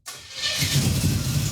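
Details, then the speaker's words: Junkyard Chevy Tri-Five with a makeshift exhaust of dryer ducting, aluminized tubing and two Holden Monaro mufflers: the engine settles into a muffled, deep low rumble, much quieter, with no rasp or leak, so the exhaust is healthy. "oh much better much better yeah success it sounds quite good it's got a little Rumble yeah it's been a long day tomorrow we road trip let's go it's way quieter it sounds good"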